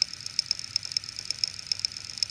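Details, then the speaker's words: Failed Western Digital Red 6TB WD60EFRX CMR NAS hard drive: sharp, light clicks in uneven clusters over a faint hum. Now quieter than when it first failed, but still abnormally loud. "sound is nowhere near as bad as it was before it's not sounding normal you can hear this right across the other side of my lab when when it was failed in the uh nasa norway you can't hear these things yeah that's not as bad as it was but it's still pretty bad like it should not be that loud"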